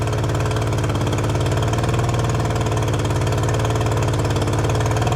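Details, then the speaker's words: Outboard engine just swapped onto a boat, right after fuel primed: steady deep chugging with slightly uneven lumpy beat at fast idle; rough running, cause unclear. "Doesn't sound right."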